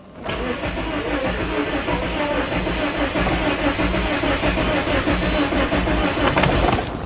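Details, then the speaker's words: 2010 Toyota Corolla 1.8 L with immobilizer codes B2797 and B2799 cranks at a steady, even rhythm for several seconds but never catches. Crank no start because the immobilizer does not recognize the key. "So, as you can hear, the engine cranks, but it doesn't start. Let's try this one more time."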